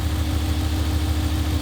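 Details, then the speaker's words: Dodge Ram pickup with an intermittent evap check-engine code: short, even idle with a smooth steady low pulse and no knocks or misses; strong-sounding engine. "Now, start it up, listen to it. So it sounds like a strong engine."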